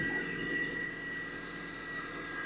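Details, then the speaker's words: Mini Cooper S R53 just after a new auxiliary belt and idler pulley, idling after sitting and not yet warm: a steady high-pitched whine over a quiet idle at constant pitch; owner believes it's the supercharger. "Oh my God, that is high pitch. That's a supercharger."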